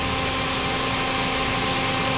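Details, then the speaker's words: Toyota Vios 2NZ after about an hour of running following the PCV valve hose repair at the intake manifold: steady, even idle hum with no stumbles or misses; idle no longer acting up, normal. "So hindi na talaga Nagloko yung kanyang idle ibig sabihin doon lang sa host ng parch valve ang"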